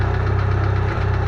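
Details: Fast, even metallic rattle riding on a low steady idle, first suspected as rod bearings; found to be a loose Fidanza flywheel starter ring.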